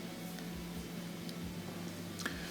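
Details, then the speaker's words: Gas fireplace with the gas valve on: sparse faint igniter clicks over a low hum, spark visible but the pilot never lights; dirty, carbon-fouled igniter parts suspected, fixed by cleaning. "so i click it turn it on and i hear the clicks i can see the spark jumping but still no ignition"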